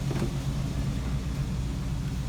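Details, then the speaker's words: 1973 Plymouth Duster idling in gear after door rattle fix, steady even low rumble with no door rattle; fixed. "it doesn't rattle with the car and gear charges in gear too that's nice"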